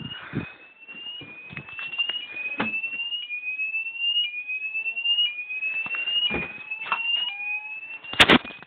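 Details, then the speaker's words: Homemade fire alarm system with Gent smoke detector, set off with deodorant spray and test key, fire on zones 1 and 2; shrill electronic tone sweeping up around 3 kHz, repeating about every second, with clicks; sounder working properly. "Okay. If you look, I've got a fire on both zone 1 and zone 2."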